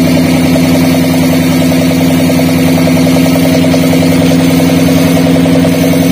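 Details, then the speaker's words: Daihatsu Gran Max losing power, idling: uneven lumpy stumble about three and a half beats a second; pulling coil number 4 produced no spark, confirming a dead ignition coil. "sudah terdengar jelas ya di sini ketika kami angkat untuk koil koil nomor 4 ya tepatnya yang ini Hai tidak ada suara percikan api dari koil"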